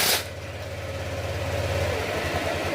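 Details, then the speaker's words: Honda Click 125 V3 scooter that smoked after a previous shop's repair, now rebuilt with muffler refitted, fresh coolant and new oil: smooth, even low idle with no knocks, ticks or misses; acceleration no longer delayed. "smooth smooth yung tunog acceleration hindi na siya nade-delay at ah gumanda na rin yung kanyang acceleration swak na swak na"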